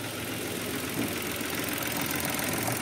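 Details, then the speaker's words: Mitsubishi Mirage hatchback, manual, roughly 95,000 on the clock, three-cylinder idling in neutral after a fix attempt; light uneven buzzing rattle remains, quieter than before, from a loose plastic engine or airbox cover vibrating in the bay. "Meron pa rin pero hindi na katulad dati sobrang lakas o."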